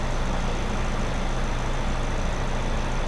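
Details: 2009 Chevy HHR 2.2L Ecotec flex-fuel, after fixing incorrect alcohol-content reading (P0172, P0300, long crank): steady, even low idle rumble, no misses, knocks or hunting; slightly rich, oil change suggested; normal idle.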